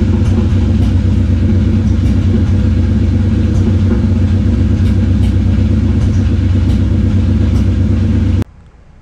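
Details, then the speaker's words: Nissan 350Z after lightweight eBay flywheel and clutch install, dowel lined up on second attempt: uneven, stumbling idle with deep rumble and irregular pops, engine misfiring and sputtering; no sensors or coil packs touched. "second time i lined up the dowel and my engine would run but it would miss fire and sputter terror"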